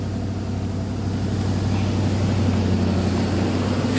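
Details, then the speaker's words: 1995 Mercedes-Benz S420 W140 after restoration with new clutch, water pump and thermostat, ASR light on and transmission in limp mode; smooth steady hum at about 1500 rpm versus an expected 500–600; high idle, cause unconfirmed. "as you can hear probably she's robbing kind of high Ralph 1500 rpms and a high for this car"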